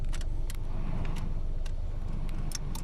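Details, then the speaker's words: Lancer with A/C not cooling: with the engine running, the A/C relay under the blower box ticks sharply when the A/C is switched on. The relay clicks in, but its internal contacts may still be damaged, so it will be tested. "so you can see the relay under our aircon is off when we turn it on you will hear ticking sound"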